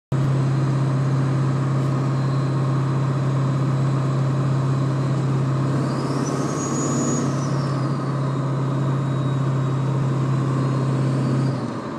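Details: Ford 7.3 diesel running: a steady low humming drone holds one pitch for about eleven seconds, then drops away; source unclear.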